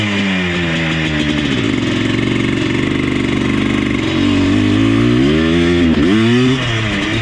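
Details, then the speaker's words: Yamaha Blaster 200 two-stroke after carb rejetting: revs surge unevenly and briefly falter; engine cutting out, owner suspects ignition issue, not carburetor, unconfirmed. "Seems like an ignition issue. It comes on the power band way better now, but it's still doing that, whatever that is."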